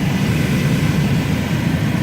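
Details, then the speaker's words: 2009 Mini Cooper S blower motor, cage was stiff and jammed and squealed at first, freed by spraying lubricant and cycling speeds: steady even rush of air at full speed, no scraping, ticking or wobble; blower sounds smooth and healthy. "And it had a little squealing noise when it first started going, and I just kept spraying it up in there, changing the speeds up and down, sprayed it all up in there, and there you go. It sounds perfect."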